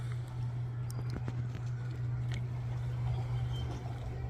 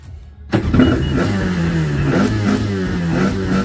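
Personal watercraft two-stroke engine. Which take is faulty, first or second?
second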